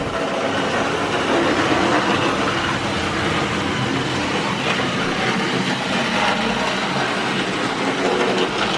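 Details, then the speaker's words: Vintage Hornby Tri-ang train set loco lapping the layout at full speed: constant whirring rattle with clicks over the track joints, very noisy for its age; it was slow to get moving because of dirty contacts. "so as you will hear this is incredibly noisy but don't forget the age of it as well but as we can see it is running now"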